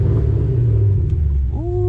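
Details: Ford Mustang GT500 bought with a misfire, after new gapped spark plugs and repair, test drive: deep, even rumble with no misses or stumbles, then brief rising rev; runs clean and healthy.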